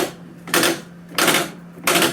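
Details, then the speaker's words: Cub Cadet CC30 riding mower steering, wheel turned with tire held: three loud clacks about two-thirds of a second apart as worn plastic rack support lets the rack jump the pinion teeth; to be fixed with MTD kit 753-11064B. "Hear that clicking? That's not good, and that's what we're going to be fixing today."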